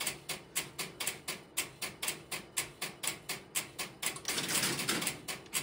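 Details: Idle No. 3 crossbar telephone switching system, camera in its aisles with step-by-step interrupter relays in background: steady dry ticking about four per second with faint hiss; normal idle.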